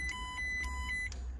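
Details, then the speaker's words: 53-plate MG TF, bought non-running with catalytic converter cut out, when battery connected: high clear beeps in a quick uneven run, about four a second; alarm sounds, battery judged not good enough. "you go oh that's strange [Music] stop it stop that noise stop that noise that battery's not good enough"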